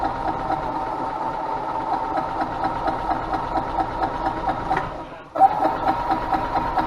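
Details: 2000 Yamaha G16A golf cart engine after rebuild with fresh oil, filters and spark plug, previously very loud and not running: steady single-cylinder putter, even firing, no knocks or rattles; running smoothly.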